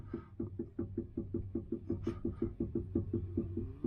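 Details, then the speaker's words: 2009 Mustang front-end noise: hollow clunks, about three a second, as the sway bar is moved by hand with one end link off; joints not loose and bushing looks good; owner unsure of the source, maybe the other side. "Of course, nothing here is loose on these joints, but if I move the sway bar, you hear that noise."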